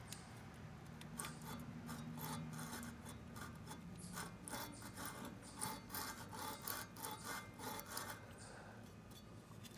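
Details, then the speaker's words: Manco Dingo go-kart Briggs 5 hp horizontal-shaft engine, about 25 years old, seized and full of dirt, turned slowly by hand: soft, uneven rasping scrapes each turn; owner suspects the flywheel rubbing on the coil. "news I think that noise pretty sure it's just the flywheel on the coil so I'm gonna vacuum that out blow it out maybe take some sandpaper to the flywheel"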